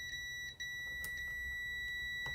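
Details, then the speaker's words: ZX Spectrum board under repair, multimeter continuity test after cutting a memory chip's leg: steady high beep holds almost unbroken, so the line is still shorted to ground; that chip is not the cause. "nope it's not gone it's still here as you can hear so it's not that chip i guess"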